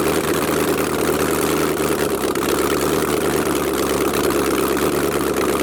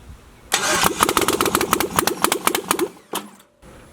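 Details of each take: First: LS V8-swapped Jaguar XJ-S, no headers, open exhaust, after first start: very loud raw but even idle with no missing, quick throttle blip rises and settles cleanly; healthy. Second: LS-swapped Jaguar XJ-S first start attempt, no headers: starter cranks evenly about four beats a second but never catches; no fuel because the fuel pump relay was unplugged.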